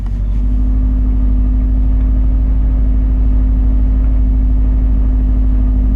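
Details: Cold start at 38°F after sitting about 8 hours, computer controlling idle: deep, heavy idle throbs about two and a half times a second, lumpy and uneven; rough idle.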